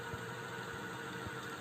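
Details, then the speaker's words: Ceiling fan after repair without replacing the bearing: the bearing was raised slightly with a paper shim and greased. Now a quiet, steady hum with only faint soft thumps and no scraping; the earlier noise is gone. "लेकिन हमने इसमें कुछ भी नहीं किया है सिर्फ एक कागज लगाकर बैरिंग को थोड़ा स ऊपर किया है थोड़ा सा इसमें ग्रीस किया है और यह जो आवाज है यह मिट गई है"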